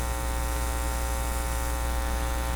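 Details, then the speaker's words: Philips PH202 vacuum tube console record player, phono input connected through a cable and turned up: loud steady low buzzy hum with nothing from the cartridge; mains hum, cause suspected, not confirmed. "I'll turn it up. Lots of hum. Lots and lots of hum."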